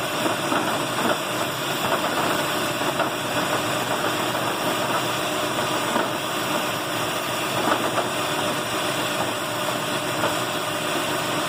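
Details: 2008 Lexus RX 400h, warm engine idling in P after stopping: a loose, uneven rattle over the engine note until the engine stops itself; also occurs in D, persisted after a spark plug change, cause unknown.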